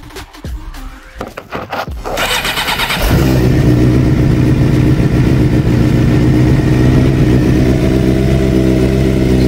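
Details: 2007 Suzuki GSX-R 600 K7 after full service (fresh 10W-30 oil, coolant, water pump, plugs, air filter), cold start: starter whirr, then the four catches and settles into a steady even idle; oil pressure light goes off, good.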